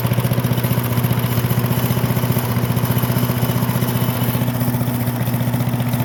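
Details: Briggs and Stratton small single-cylinder engine after fuel diaphragm repair fixed a no-run: steady, even firing around three pops a second with no misses or knocks, running healthy.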